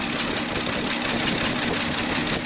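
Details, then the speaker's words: 1967 Chevy C10 Stepside, 250 straight six, at idle after tightening exhaust: sharp hissy chuff over the engine note, exhaust joint still leaking; plan to pull exhaust toward driver's side with a ratchet strap and retighten bolts. "It's still leaking. I think we could use a ratchet strap to pull the exhaust towards the driver's side a little bit."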